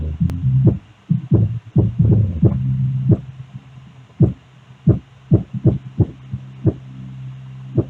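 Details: Portable speaker box after fixing a loud bass rattle that had made the cabinet shake: deep bass thumps at high volume, about ninety per minute, come through loud and clean with no buzzing or rattle.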